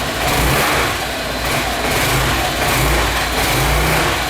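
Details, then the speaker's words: Apollo SL250-2 250cc scooter, cold: revs unevenly, sagging and stumbling as throttle opens then picking up; hesitation worse when hot, nearly stalls. Dirty carburetor causing bog on throttle, to be cleaned. "What's going on with it is when you start it up and you give it a little gas, it wants to choke out and then it'll take off again. So we got ourselves a dirty carburetor."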